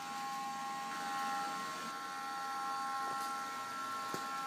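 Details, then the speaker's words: Heljan O gauge 7mm class 47 model loco with two motors, after renewing split bogie gears, a fault that causes jerky running and seizing; it is a DC loco run on a DCC controller, partly why it is a bit noisy. Light, steady motor whir, no gear clicking or grinding, running smoothly. "It's loco number 10, so this is a DC loco running on the DCC. So that's partly why it's a bit noisy, but there we go, she's all working."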